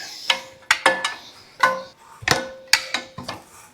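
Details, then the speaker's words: Engine being torn down, turned over by hand with a wrench: slow uneven dry crunching and scraping, getting easier as it rotates; suspected dry, crusty bearings, not confirmed. "We got to get it where we can turn it over with the wrench. And the bearings is probably dry, too. Oh, I hear some crusties."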